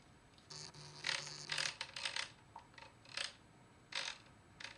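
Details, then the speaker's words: Datsun 280Z California single-pickup distributor, shaft turned by hand with the contactor backed fully away: irregular metallic scraping and clattering, something inside hitting; cause not found, reluctor wheel to be removed. "Just get it completely away from it, see how it sounds. That sounds terrible. I can literally feel it hitting something in there."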